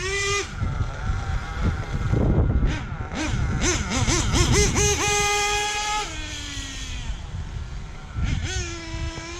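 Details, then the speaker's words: Hobao Hyper VS2 nitro RC engine after break-in (tank 11), being tuned, idle turned down: engine revs sharply, but on quick throttle stabs the pitch sags and stumbles before climbing; bogs down. "hear how bad it goes bogs down when you do that quick"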